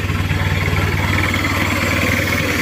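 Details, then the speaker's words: Chevrolet K5 Blazer with a swapped Mitsubishi 4D56T turbo-diesel, poorly set up after an earlier engine removal, with no power: lumpy, limping misfire at idle, white exhaust smoke and weak exhaust flow, before tuning. "ini Lur ada pincang asap putih knalpotnya pun juga separuh ini nanti kita akan coba untuk maksimalkan"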